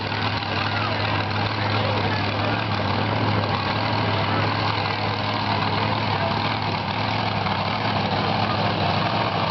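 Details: Grave Digger monster truck V8 backing to the pits after a freestyle event, driving past the camera. Deep rumble with a lumpy, uneven firing beat: a misfire and rough running all day, most obvious after freestyle.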